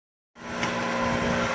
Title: Heat Pump Making Loud Noise